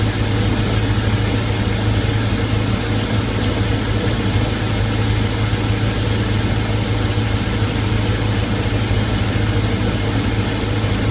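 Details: MerCruiser 5.0L MPI 260HP marine V8 at steady idle with a fast, faint tick riding over the exhaust pulse, from a leaking exhaust manifold gasket on the starboard side.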